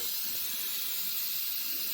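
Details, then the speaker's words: Land Rover LR4 with engine off: constant thin hiss of air escaping from a front air strut; the rusted shocks have failed and are leaking, after the owner first suspected the valve block because the front sat low each morning. "Turns out it's my shocks. They finally died. The rust is giving way and Sandy is leaking."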